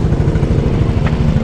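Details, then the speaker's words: 2024 Yamaha Mio Gear 125 repo scooter with discharged battery: quiet, steady idle with an even low putter and no ticking or rattle; engine very quiet and healthy. "Ito yung tunog niya nga pala guys. Ito yung makina niya. Yan. Napakatahimik guys yung engine. Goods na goods."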